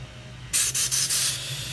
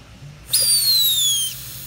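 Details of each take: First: Briggs & Stratton Quantum mower fuel cap, tightened on a pressurized tank, gives a soft airy hiss of escaping air, showing the cap vents properly. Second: Briggs & Stratton Quantum lawn mower fuel tank pressurized with line clamped, non-original cap fitted: sharp whistling hiss for about a second as trapped pressure escapes on release; cap not venting, causing poor running.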